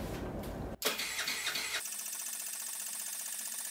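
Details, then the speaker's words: Honda Ruckus clone scooter, GY6 139QMB with 100cc big bore kit, long unused; fuel reaches the pump but not yet the carburetor. The starter spins the engine at a steady, fast whirr without firing: crank, no start, carburetor bowl dry. "it's got all the way up to the fuel pump but we've got nothing to the carburetor yet so i'm going to go ahead and get it primed turn it over quite a bit and then once that bowl fills up hopefully it'll run"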